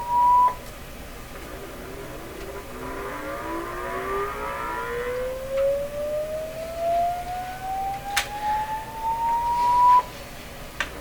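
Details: 1929 Victor RE-45 radio, final amplifier and speaker check after the popping/crackling noise disappeared: rising test tone comes through buzzy and rough with extra rasping tones; distorted reproduction, suspected to come from the speaker, hum also present.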